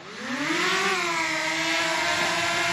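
Steady high whir from the rotors rising slightly on climb then settling even, no rough buzz or ticking; motors sound healthy.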